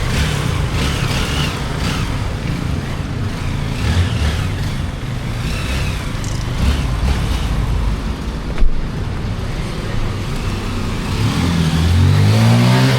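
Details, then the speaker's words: Honda XR150 single-cylinder after top overhaul with taller higher-compression piston and tweaked carburetor: revs pull cleanly and climb smoothly, no knock or rattle; accelerating more, normal engine revving. "Oh yeah, it's accelerating more. He put a higher piston in there."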